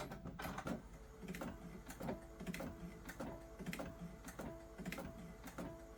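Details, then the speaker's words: Sublimation printer at normal quality, printing a heart puzzle design; soft clicks about once a second over the carriage whir, cause of the ticking unclear, print looks good. "some clicking this sounds weird but that picture looks good though"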